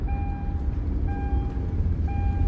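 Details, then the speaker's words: 2007 Hyundai Azera with 198,000 miles and the oil light on at idle (goes off with a little gas; later fixed with an oil sensor): low, smooth idle under a warning chime about once a second; engine sounds healthy. "cuz I mean, the darn thing sounds good. Sounds real good."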